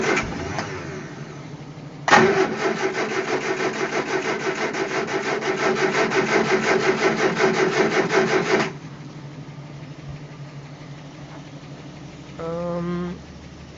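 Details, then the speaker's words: Barn-find Triumph Spitfire, carburettors just roughly rebuilt after being clogged: steady cranking catches and fires unevenly for a few seconds, then stops with a sharp pop; backfire with a fireball out the back, cause unclear. "had a little bit of a backfire again there's a little bit of a fireball back there"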